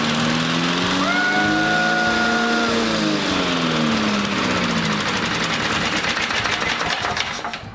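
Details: A rare 1960 Briggs Sonoduct mower, with the flywheel under the deck, Seafoam and 5W30 in it, and plenty of compression: the small single cylinder catches and settles into a quick, steady, even putter. It runs healthily.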